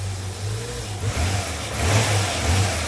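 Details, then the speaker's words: 2005 Hyundai Santa Fe 2.7 V6 (SM) after fuel filter and O-rings repair: still slightly wobbly starting but now revs normally, deep steady note swelling and dropping cleanly with throttle blips. "so it's still a bit wobbly on the starting but it's working and more importantly"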